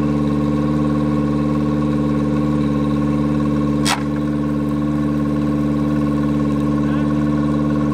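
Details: Yamaha 90hp four-stroke outboard just swapped onto an 18ft G3 boat in place of a 60hp two-stroke, first start. Steady, fast, even note that stays high in neutral with no drop toward idle; the misadjusted throttle linkage holds the revs up.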